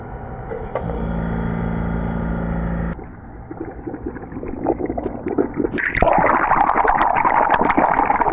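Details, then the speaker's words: Swimming pool leak detection in Jupiter, Florida, compressor air blasted through skimmer plumbing line, heard underground beside skimmer housing: irregular gurgling and bubbling bursts growing louder; broken skimmer line leaking air, siphon with main drain draining pool. "I hope you guys were able to hear that on video, but this skimmer plumbing line is without a doubt broken right here."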